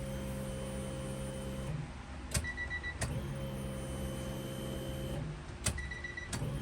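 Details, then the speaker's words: Honda Civic EG hatchback fuel pump priming with key on after reinstalling the pump to fix fuel starvation at the track; steady low electric hum with faint even whine, pausing and restarting, no leaks, sounds healthy. "I don't know if you can see the pump back there. Sounds nice and healthy."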